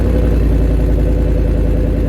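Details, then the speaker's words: Truck exhaust at constant speed after fitting an exhaust part whose size was guessed; steady, even low rumble with smooth pulse, no booming drone, sounds a lot better than before. "well that sounds a lot better than it did before"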